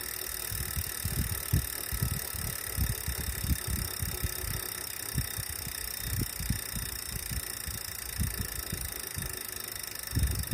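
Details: Wahoo smart trainer still noisy after cleaning, after 30 minutes warmup: uneven low thuds, a few each second, knocking through the hum; source unclear.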